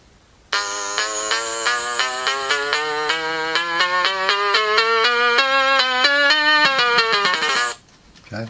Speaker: sounds quite good it's not as correctly as it was